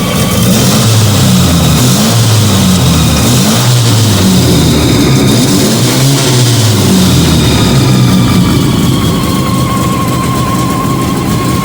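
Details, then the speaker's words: Fiat 125 (Bialbero) running on CNG after fitting a new gas injector to the carburettor and the original air filter; just started, idle touched up. Steady, even idle with a smooth low rumble, no misses, knocks or hunting. Normal idle. "Anda espectacular, Anda muy bien. Fue una prueba cortita, pero la verdad que va muy efectiva."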